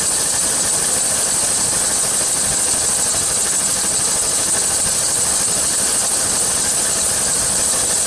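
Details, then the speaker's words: 1999 Chevy Suburban, high mileage, slow annual leak, R134a top-up at about 80°F outside with low-side pressure below the green (under 25): a steady loud hiss at constant idle, no cycling, as the A/C compressor now stays engaged. "As you can see already, the pump is staying on now. There must have been a little bit of Freon left in this can."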